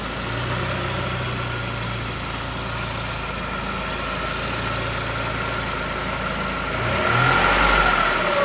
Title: Saab alternator starting to fail not the turbo whine!